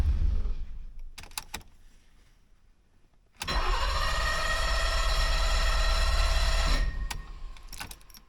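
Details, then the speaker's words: 1985 BMW 635 CSI back home: key click, pause, then abrupt catch and steady run for three seconds before shutoff; engine only starts after the key is released, cause unknown. "Well, it started, but it doesn't start until after you sort of let the key go. I wonder why."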